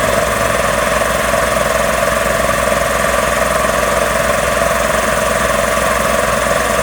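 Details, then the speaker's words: Magna Force air compressor after repairs, building pressure toward a 160 cutoff: loud, even pumping drone with a steady fast beat, no change in pace; running normally. "at least we'll see once it gets to 160 and then a little bit after that it should cut off so let's see"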